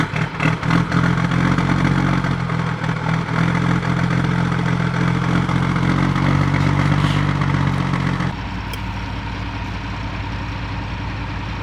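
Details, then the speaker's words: 1985 Mercedes-Benz Unimog with a replacement diesel engine, cold start: a heavy clatter settling into a steady, low, even idle with a rumbling pulse, no knocks or misses. A healthy cold start. "Cold start. You ready for the cold start of your life? Let's hear it."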